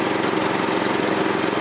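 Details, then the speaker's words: Troy-Bilt tiller, 212cc Predator 6.5 HP engine, running after new spark plug (not yet tightened); steady even fairly quiet buzz, no misses or surging, healthy, unchanged from last year. "Fairly quiet. Doesn't sound different from last year."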